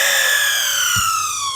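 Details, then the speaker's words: Sebo Felix ET1 power head whose brush roll won't spin; brush roll motor powered directly through a test cable: clean high whine sliding down in pitch as it coasts, no grinding. The motor is good, so the control board is the failure point. "And we have our motor spinning. So now we verified that the motor is good."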